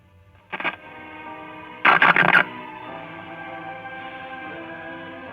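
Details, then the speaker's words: Compact Packard Bell tube radio with power transformer, powered up after a shorted 6Q7 tube was found and the other tubes tested fine; brief scratchy bursts then clear program audio, working again; volume control still dirty and needs cleaning. "Okay, that restored the radio working."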